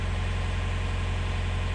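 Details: Widebeam canal narrowboat diesel engine at a deep, even, steady idle with no misses or knocks, after a non-start was traced to a 25 amp blade fuse, thought to be for the starter relay; it now runs sweetly.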